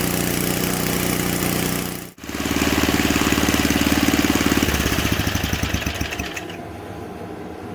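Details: Simplicity 560 snowblower small single-cylinder engine, about 10°F cold day, first start after new gas and priming. It fires after a brief catch, settles into a steady even putter with a slight hiccup at idle, then winds down. Runs fine.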